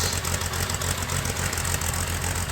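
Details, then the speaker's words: 1961 narrow gauge Bombardier, parked a month, cold start at -31 C on booster cables, catching on the third try: a busy, even engine patter with a steady low throb and no misses settles into a normal idle. "maybe third time's the charm here [Music] sounds better than before there she goes"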